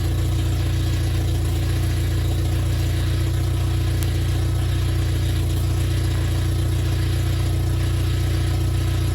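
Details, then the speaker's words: Toyota 4Runner 22RE petrol just after engine rebuild, at high idle on first start: a steady whine from the power steering pump with air in the system, bled by turning the wheel. "idle you can hear the power steering pump screaming and basically all you need to do is turn your wheel to bleed the system"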